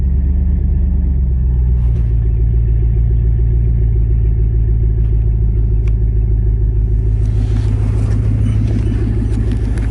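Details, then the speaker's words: Truck starting on a reconditioned battery that sat a week off the charger at 11.9 V: the engine catches and settles into a steady, even low rumble without misses. Starts and runs normally, though owner still distrusts the battery. "Okay guys, well, it's starting. That's great. I still don't trust it."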